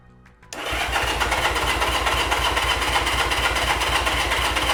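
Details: 1975 Honda CB200T, first start attempt after reassembly and new fuel filters, on choke: starter churns steadily about four beats a second, never catching; spark is strong, so fuel is suspected not to be reaching the carburettors.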